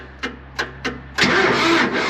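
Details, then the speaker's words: 2009 John Deere 5055E diesel tractor with an intermittent click/no-crank fault; a solenoid, part RE234727, is suspected. This time three quick starter turns bring it to a catch at about one second and an even run, a normal quick start. "that time it cranked quick but last night I was trying to crank it and it probably took me clicking it 50 times to get it to crank"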